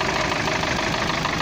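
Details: UAZ-417 engine in UAZ after camshaft, cam gears and bushings replaced: steady loud idle with dense, fast knocking still present though it drives; cause unclear.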